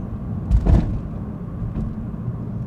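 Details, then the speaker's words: Perodua Ativa driving over sharp bumps: low road rumble then a sharp double thump and knock; rattle returned after an earlier fix, previously diagnosed as excessive free play in the rear drum brake shoe, fixed by tightening it. "you hear that little bit of croak noises uh that's what i'm talking about"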